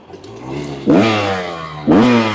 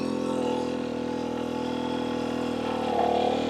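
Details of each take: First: Rieju MR300 Ranger in second gear, wide open on a hill climb under load: note jumps then sags and never climbs freely, won't rev out; rider blames jetting, cause not otherwise confirmed. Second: Rieju MR300 Ranger two-stroke after jetting adjustments, light steady throttle: smooth, even drone holding one clean note on low power without burbling or stutter, rising slightly; jetting sounds right, normal low-throttle running.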